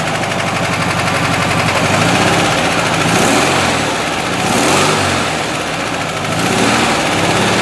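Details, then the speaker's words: 1970 Volkswagen single-cab air-cooled flat-four, claimed rebuilt but sounding like a typical 1600, run on the starter with carburetor worked by hand: clattery, rough pulsing note, extra noise from one bank and heavy vibration near the doghouse; possibly a bearing, unconfirmed. "there's some noise going on on on this side of the engine and there's quite a bit of vibration from this side"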